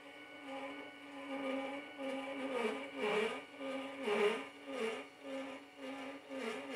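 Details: New Celestron telescope mount slewing in azimuth at maximum speed, the only speed where it occurs: a whining drive motor that surges and grinds roughly once a second, as if tearing itself apart; grinding during high-speed slew.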